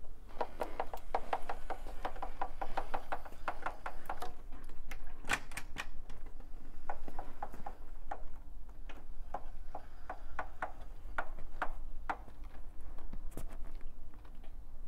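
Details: 2015 Triumph Speed Triple 1050R: sharp, irregular clicks and cracks, one to a few per second, from the drive. Cause was a loose front sprocket nut; a new drive chain set fixed it, so check and retighten the sprocket nut before replacing the chain.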